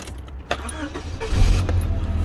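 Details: Rover 416SLi automatic, first start after the exhaust was repaired by welding and the back box refitted: engine catches and settles into a deep, steady idle with no puffing or ticking at the pipe; exhaust sealed, normal idle.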